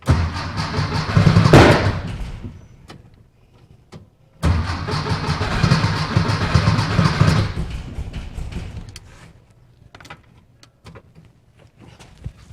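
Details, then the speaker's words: VW Beetle after dual EMPI carb install, mixture screws at base setting: cranking catches briefly then a sharp backfire bang, followed by uneven churning attempts; source of the explosion unknown, likely short of fuel, carbs then pumped. "All right, she wanted to. I don't know where it exploded from."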